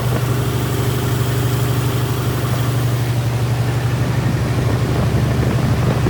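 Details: Freshly rebuilt 1977 Toyota 2F engine (new rings, bearings, head shaved 0.40, new carb, headers) in a 1982 FJ45 pickup, held at 1,500 rpm for break-in: steady, even fast idle with low consistent drone, no knocks or misses; normal.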